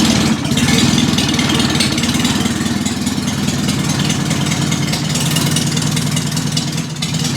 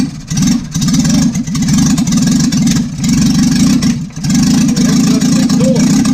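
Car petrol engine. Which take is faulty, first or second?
first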